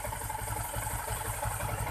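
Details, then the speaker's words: Yamaha Jupiter MX King 150 idling after engine work: low, rough pulsing rumble that smooths when the clutch lever is pulled; likely hardened clutch rubber dampers leaving no cushioning, rough mechanical noise. "nah ini tangan saya menarik tali kopling ya nah ini suara kasar dan ini ditarik jadi lebih halus ya itu disebabkan oleh karet koplingnya kemungkinan karet koplingnya ini keras ya"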